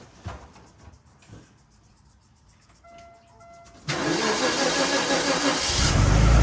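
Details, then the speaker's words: Aston Martin DB7 inline six-cylinder, first start after changing spark plugs for a check engine light and previously lumpy, rumbly idle: brief crank, catches cleanly and settles into a smooth steady idle with no misfire; normal idle. "all right guys so just fired it up and i can tell you right now dude it is idle smooth i can't even feel the engine running other than hearing it and smelling the exhaust coming out and stuff like that"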